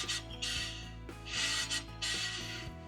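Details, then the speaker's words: Caravan drum brake after service (15,000 km of towing), shoes adjusted then backed off until lightly rubbing: soft rhythmic scraping as the hub turns, hard to tell from the magnet rubbing, under background music; normal light shoe rub, correctly adjusted. "So there should be a little bit of should hear them rub. They should just be rubbing lightly."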